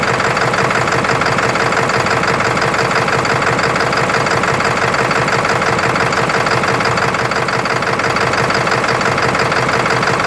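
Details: 1996 Ford F350 7.3L diesel, camera from open hood over engine: idling with loud, constant clatter, roughly three knocks a second, uneven beat; rough idle, cause unknown.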